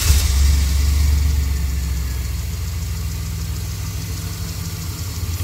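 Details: 2002 Chevrolet Express with a 4.3L engine and a P0300 misfire, after the codes were cleared and a CKP relearn was done: a steady, even low idle with no stumble. The earlier cylinder 1 and 4 misfire counts are gone.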